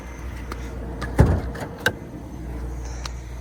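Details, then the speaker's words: Freshly tuned-up BMW V8 (rare non-M model) after new spark plugs on all 8 cylinders, gaskets, oil change, new air filter and new alternator: super clean, steady idle, barely any vibration, light clicks over it, no misses or hunting; normal idle. "Super clean idle. Barely any vibrations at all."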